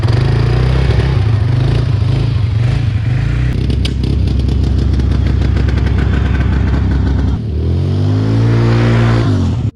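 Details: 2006 Can-Am Outlander 400 HO 4x4 ATV, first run after sitting for years (needed fuel added); single-cylinder revs climb and drop cleanly with no knocks or misses; engine sounds healthy.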